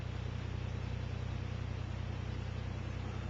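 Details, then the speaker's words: Second Bedini pulse motor on alkaline batteries, 1,000-turn coil, three rare-earth-magnet rotor, rheostat-controlled: fast, very regular low buzzing pulse, about three or four a second, speeding up smoothly with no rubbing or rattle; normal running. "and you'll see how the curve is gradually going across the screen as it speeds up"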